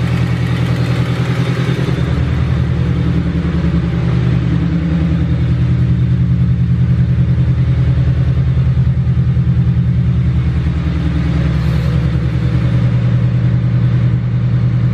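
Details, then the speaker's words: Honda Del Sol with 366,000 miles idling steadily with a light tick about three per second; owner almost positive it is an exhaust leak rather than the engine. "Yeah, it sounds like the motor might be ticking, but I'm almost positive it's just the exhaust"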